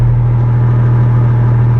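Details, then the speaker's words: Four-wheel-drive auction vehicle at idle, front of two mufflers rusted out on top and leaking all around: steady deep drone with loud raspy low rumble. Exhaust leak from rusted muffler; replacement muffler planned. "The front one, the top side of it, is rusted out, and you can't actually see the hole in it, but I got my fingers up there and it's leaking the whole way around the top, but you can hear it."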